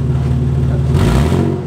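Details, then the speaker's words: Modified Barraptor rally car running LPG, first fire-up after modifications: throaty exhaust blip climbing then settling, smooth and not very loud, no rattles or popping. "that's that's not bad at all it's not even really that loud is"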